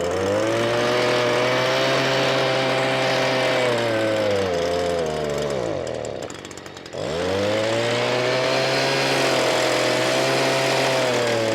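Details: Stihl BG86 two-stroke blower, customer complaint of bogging, gooey residue around carburetor: revs high then sags and nearly dies before recovering under throttle; faulty carburetor, being replaced.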